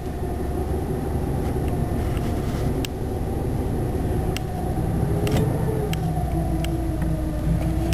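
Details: One of the owner's cars (an '83 Buick, '88 Caprice or '94 DeVille; the clip does not make clear which), idling outdoors after brake wheel cylinder replacement: a smooth, even, low drone with no knocks, misses or rattles. Healthy idle.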